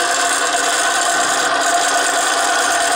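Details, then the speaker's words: Bearing test rig running in a constant bath of Mobil 1 synthetic, bearing reinstalled before adding weight: steady harsh rasping hiss with no low rumble, dry sliding friction audible immediately. "You can hear the friction right away."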